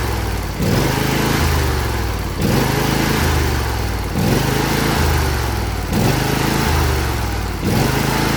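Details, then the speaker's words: John Deere L118, Briggs & Stratton Intek V22 V-twin, freshly rebuilt for blow-by, seating new rings: runs steadily with slight regular surge every couple of seconds, no knock; only tiniest blow-by, fine until rings seat in. "And yeah, there was just a tiniest bit of blow-by, so that's fine. I want to wait to worry about blow-by until after the ring seat in."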